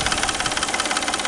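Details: Peugeot 607 3.0 V6: quick, even light knock about eight times a second over the idle, coming from the front of the engine near the timing belt. Source not pinned down.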